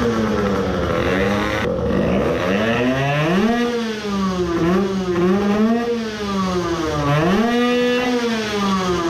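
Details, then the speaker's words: Tuned 20 hp two-stroke moped engine after crankcase filling to raise scavenging pressure, free-revving in neutral: buzzy revs rise and fall cleanly and crisply with no misfire or rattle, running properly. "No niin nytten käynnistetään ja kokeillaan miten se kiertää vappaalla katotaan että pystyykö vappaalla jo huomaamaan pappatunturien hengen kun nyt on täytetty kampikammiota"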